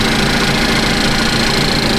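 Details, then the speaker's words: 2015 Cadillac ATS 2.5L GDI RWD after junkyard engine replacement, first start warming up: smooth even idle with steady fine patter of injector ticking, no knocks or misses; running smooth, no visible leaks. "The engine seems to run really smooth. So we're just gonna let her warm up now."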